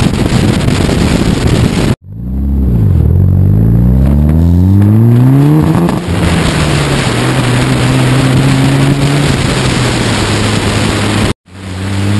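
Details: Mitsubishi Evo IX after sitting a winter: under full throttle the engine climbs hard then stumbles and breaks up at high rpm, car shaking and tach flailing, no check-engine light; fine at medium throttle and idle; fixed with new ignition coils.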